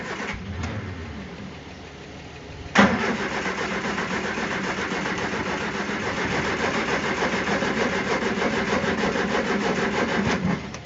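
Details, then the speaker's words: Barn-find Triumph Spitfire after carb clean and new jet fitted, cranking with throttle slightly open: even starter cranking with one sharp backfire pop, never catches; no start. "now let's see if it wants to do anything if I'm on the guest a little bit yep there's a backfire"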